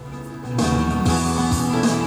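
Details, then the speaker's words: Pioneer VSX-D704S receiver with severe distortion complaint: center-channel preamp output fed to an external amplifier plays guitar music clean and undistorted, isolating the fault; later the right channel is distorted while the left is clear. "can hear that the sound is clear if i turn the speakers on okay now so now it's sounding good out of one speaker"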